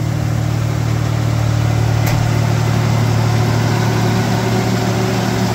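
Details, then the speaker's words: 1989 V6 Mitsubishi Pajero, first cold start after sitting three days, just fitted with stainless steel extractors and new exhaust studs replacing leaking stock manifold: steady even idle, smooth low hum, no ticking or puffing; manifold leak fixed. "it's been sitting for three days damn cold good job brass no more exhaust leak how good is that"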